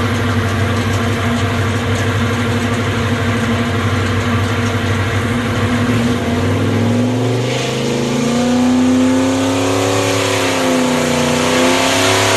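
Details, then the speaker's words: 434ci Pontiac V8, small cam around 600 lift, made 600 horsepower: deep steady roar with pitch climbing and wavering, then settling to a mild even chop-chop lope at idle; healthy mild engine. "All right, so you could hear how not very radical engine at all. You can hear it idle at the end there, just kind of a chop chop idle. Fairly mild engine."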